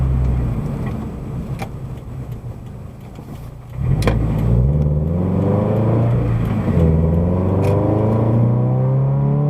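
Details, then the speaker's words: Subaru BRZ/FT-86 with SpeedFactory header and exhaust, interior, after fixing header rubbing the debris shield: exhaust note climbs smoothly to 6,000 rpm then settles to an even drone in sixth; no rattle or vibration. "it's noticeable but it doesn't bother your ears and again car feels very smooth there's no vibration like I was feeling"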